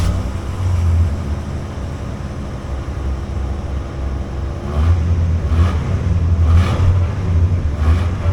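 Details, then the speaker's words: Cold 1986 Dodge D150 with factory 225 slant six, automatic: uneven, lumpy idle that swells and dips with occasional stumbles; slight rough idle, owner suspects the carburetor needs going through, cause unconfirmed. "there's what the little six-cylinder sounds like it's cold I just moved it over here so I could video it does have a slight rough idle and stumble"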